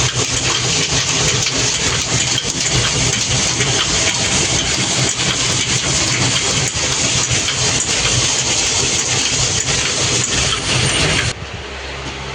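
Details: Flour mill (atta chakki) motor running after starter/contactor repair and final connection, with starter copper contacts aligned: steady, even roar with constant low hum and grinding rush, no surging or knocking, until it cuts off; mill runs normally.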